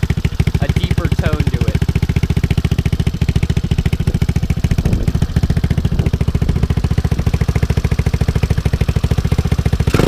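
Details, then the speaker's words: GY6 150cc Yamati Strada scooter with a Rolling Wrench/Taida 171cc big bore kit (61mm forged piston), 28mm slide carb and slip-on exhaust, just started without choke: steady even low thumping idle, deeper exhaust tone, no misses, knocks or rattles. "Sounds fairly good if you really think about it. In person, it sounds pretty good. It's more of a deeper"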